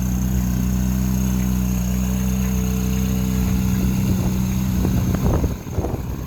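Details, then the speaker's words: 2011 Ferrari 458 Italia V8 at idle during a pre-purchase inspection, engine cover open: steady, even low burble, no knocks or ticks; engine running very smooth, normal. "Here is the engine running. I don't think a video is going to do this justice. You really need to hear it in person. Engine is running very smooth."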